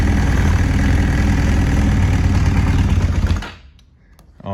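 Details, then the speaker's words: Bike just carb-worked with idle screws turned up nearly all the way, running on choke: choppy, uneven beat hunting at high idle before it abruptly dies; rough running from poor carburetor tune. "It starts, it runs, you can get it to rev up, but it is clearly not happy with its current tune."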